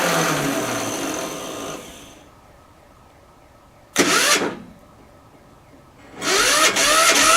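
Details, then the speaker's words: 10hp single-cylinder LaunTop Yanmar-clone diesel, cold start at about -4C. Short starter bursts with pauses, then it catches and runs. Poor ground connection through the painted-over ground stud and painted surfaces slows the crank. "I know I painted over my stud, so it might take me a few seconds to get a good enough connection there uh to start her, but I'll see"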